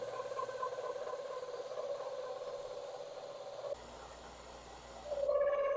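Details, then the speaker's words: Cincinnati mill, non-climb cut on tee nuts: steady high howl around 500–600 Hz, cutting out then returning louder, as the end mill rubs the wall whenever table feed pauses. "you'll hear some squealing in this segment and uh that's basically just where I was trying to both move the table and deal with the camera and at times I'd pause in the movement of the table and then the uh endmill would start rubbing on the side and start howling"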